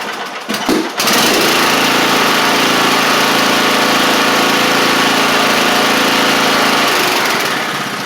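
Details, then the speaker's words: Troy-Bilt TB42 hydrostatic rider, Powermore 541cc single-cylinder, after head gasket job and new Huayi carburetor, warming up: catches and settles into a steady, even drone with no misses or knocks; running good now. "So, it's running good now. Um, which is great."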